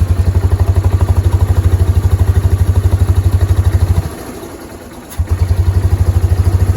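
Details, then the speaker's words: Kawasaki Prairie 300 ATV just after fitting new exhaust collars (92027-264) to replace badly worn ones. Steady single-cylinder idle thump with one brief dropout; no exhaust hiss, much quieter than before, a good seal. "So sounds good. It's not extremely loud like it was."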